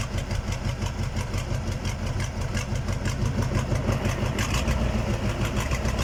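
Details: KAMAZ diesel engine's first start after a major overhaul: even, steady idle with regular firing pulses and no knocks or misses; the rebuilt engine runs healthy.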